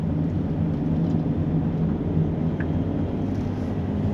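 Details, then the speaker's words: VW Caddy Mk4 Maxi diesel after outer CV joint replacement, driving a right turn under partial load where it previously clicked. Steady diesel drone and road rumble with no clicking. Normal CV joint. "didn't hear any noise hopefully that's fixed"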